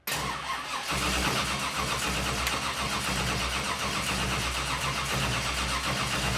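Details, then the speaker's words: TruckU race truck project, first fire-up after spinning the engine over to build oil pressure: a brief crank, it fires right away and settles into a steady, even idle with no knocks, misses or leaks, a normal start and idle. "Nothing's jumping out at me right now. Man, that sounded good, buddy."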